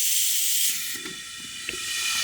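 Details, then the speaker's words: Boost leak test on a turbo LFX-swapped Volvo 240 wagon with the engine off: steady high airy hiss under test pressure, with air escaping past the stem of the problematic wastegate; both wastegates are leaking. "are definitely leaking so the gate our problematic one must be leaking by the stem out of that"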